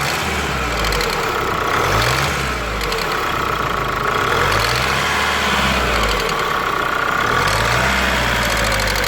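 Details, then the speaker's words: Kia Sportage 2.0 CRDi 140 hp diesel idling with a fast, uneven clacking from the top of the engine, traced to scored camshaft, bearing caps and cylinder head. "ce véhicule à un problème de claquements moteur donc le véhicule quand on la clr on attend un claquement"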